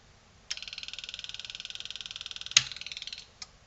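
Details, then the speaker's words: Selco Genesis 140 A inverter arc/TIG welder on the bench during repair, sense lines left off: right after switch-on a high buzzing chatter about fourteen times a second for two seconds, then clicks off; welder trying to run, suspected via an unidentified sensor. "okay well it stayed on but we had the bloody thing trying to run which is not ideal"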